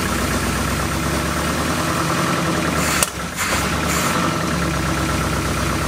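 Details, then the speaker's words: 1972 Oldsmobile Cutlass S four-barrel V8 stored since 1987, first start after 33 years with the carb bowls hand-filled and possibly old gas: a deep, lumpy, uneven idle that nearly stalls, then recovers. Rough idle. "oh that didn't sound good very good [Music] hang on they actually idled"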